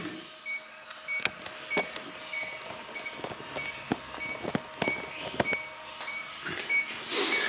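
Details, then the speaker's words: transCooler 25 cooling box with BD220 compressor, out of refrigerant and not cooling; leak detector ticks sparsely, then quickens into a rapid shrill alarm at a customer-drilled hole in the evaporator line, a refrigerant leak. "und wenn ich hier alles absuche gehört das vielleicht wie das pfeif und wenn wir an dieses loch geht ich bin jetzt ruhig fängt das teil an zu blinken"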